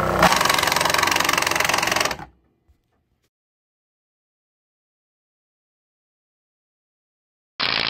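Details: 12 V virtual pinball shaker motor on a bench supply, about 5 V then raised, without the proper mounting screw pressure: loud fast buzzing rattle about four per second for two seconds, stopping and restarting; loose motor chattering on its mount.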